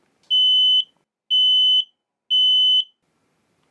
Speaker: when a smoke detector is in full alarm it will make a sound like this